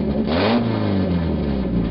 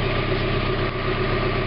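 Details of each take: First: 1991 Mazda Miata 1.6 litre, catalytic converter removed, running straight pipe: a blip of revs, then a loud, raspy, unmuffled drone at steady idle; sounds bad but revs up much quicker without the converter's back pressure. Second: 1991 Mazda Miata MX-5 parked about five months, idling cold just after catalytic converter replacement, checking for exhaust leaks. Steady, even idle with a smooth low rumble, no ticking or puffing at the flanges; normal.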